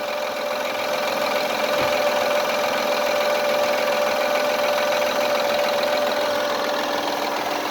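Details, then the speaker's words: 2005 Honda Accord 3.0L at idle: a steady thin whine from the power steering pump drawing air through a leaking hose, which risks destroying the pump. An unidentified rattle is also heard, possibly near the timing belt area. "you can hear this noise that whirling sound that's caused by the hose getting sucking in the air that's I'm saying if it doesn't get changed it'll wear out the part of steering destroy it"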